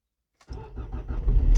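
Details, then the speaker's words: Nissan Primera P12 cold start at −4°C with a good battery and a fairly new starter motor: brief crank, then the engine catches immediately and settles into a steady idle, no problems. "yeah no problems at all oh it's gone down to up rather to minus three so let's uh turn on the rear d mister there we go full power to the windscreen blower"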